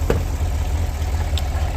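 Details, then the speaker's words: 2017 Cadillac Escalade gasoline V8, 126,000 km, shaking at idle with check-engine light on despite new plugs, coils and O2 sensors: deep, lumpy idle with an uneven low thump; cylinder 2 misfire (cylinder 8 weakly) from a valve lifter fault. "시동을 걸면 당연히 엔진 경고등은 점등이 되어 있겠죠 자 보시다시피 엔진 경고등 점등대 있는 상태고 차가 하면서 올라가요 구조가 있다는 이야기죠"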